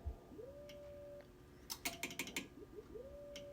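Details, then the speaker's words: Hallicrafters HT-40 transmitter driven by a restored Hallicrafters HA-5 VFO, keyed in CW: each ~600 Hz note slides upward at key-down before settling, a chirpy pulled note that may stop the reverse beacon network from recognizing it. "Can you hear it pulling a little bit? Just pulls chirps a little bit. So that might make it difficult for the reverse beacon network to uh give us a response."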